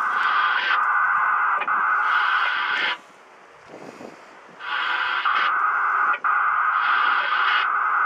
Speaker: it's some sort of a electronic box it's making that discreet noise or let noise it sounds like a modem of some sort